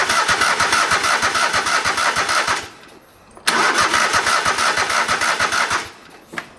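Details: Old riding lawn mower: starter cranks steadily about three beats a second in two tries but never catches; no spark found, owner suspects spark plug or plug wire.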